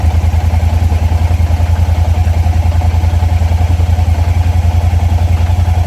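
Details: 2022 Kymco AK550, idling after a start test on an about two-year-old trickle-charged battery: steady low thrum with even pulses about three and a half per second, no knocks or rattles; the battery held above 10 V at start.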